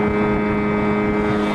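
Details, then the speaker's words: Outboard on 14/32 Alumicraft jon boat, first run at wide open throttle around 20 mph: steady high droning note with wind rush, smooth and even; 5,200 rpm, low end of its 5,000–6,000 range, lacking some speed. "5,200, so we're lacking a little bit of speed. We're at 5,200 RPMs."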